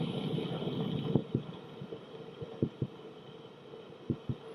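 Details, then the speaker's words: Vintage 1986 Panasonic FM49 boombox playing a long-stored cassette: dull low thumps, roughly in pairs, over steady tape hiss, caused by the raised reel-hub notches on the supply and take-up reels pressing ridges into the tape. "Now the thumping you're hearing there is a product that's taping and storage for so long. On the supply and take-up reel, there's a little notch that holds the tape onto the reel, and it's not quite flush with the reel, so there's a little raised area in 2 spots."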